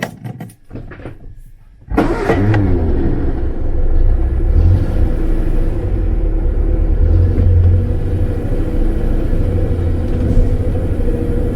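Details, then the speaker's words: 1950s Standard 10 on test drive after fitting a complete stainless steel exhaust system: engine catches and gives an even deep exhaust note under load, no blowing or rattling; sounds a lot better. "Well, it sounds a lot better."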